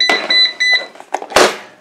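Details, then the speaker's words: Eufy RoboVac 30C after reassembly with debris removed and board secured: three short high-pitched beeps then handling clatter; three-beep error code means suction fan stuck, fan itself suspected damaged. "according to this three beeps is solid like robin box suction fan is stuck"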